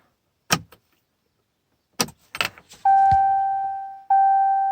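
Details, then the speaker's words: 2017 Ram 6.7L Cummins diesel after a fuel filter change: key cycled to run 4 seconds, 7 times, to purge air; clicks, then a steady electric hum that cuts out and restarts; electric lift pump priming normally. "And run position. Let's turn our blower off. Then go back. Can hear the prime."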